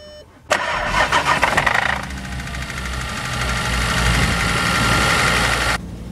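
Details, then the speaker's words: Audi RSQ3 bought cheap, oil overfilled about 200 ml above max, battery warning light on; on start-up engine flares hard with a thin high whine and rattle, then settles to steady high idle; odd cold-start noise, cause unclear, later tappy noise. "what was that noise on Startup that was a weird noise oh I didn't like that"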